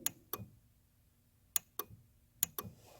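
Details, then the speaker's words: Car with non-working horn, microphone set near the relay as the horn button is pressed: three sets of sharp horn relay clicks and no horn sound; relay works, fault traced to poor horn ground/connection. "so that's the click i'm talking about for the for the relay right there"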